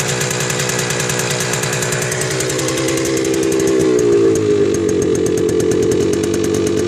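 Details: 1979 Yamaha DT250 Enduro two-stroke: fast rapping beat with a harsh tapping knock that swells with revs; it loses power around 30 mph in all gears and dies; plug, air filter and fuel filter already checked; cause unclear.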